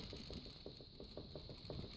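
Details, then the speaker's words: Faulty clamp meter whose data hold function does not work, being shaken. Quick uneven rattling taps come in bursts of about five or six a second, from something loose or broken inside the meter. "if you listen can you hear that you can hear it rattling"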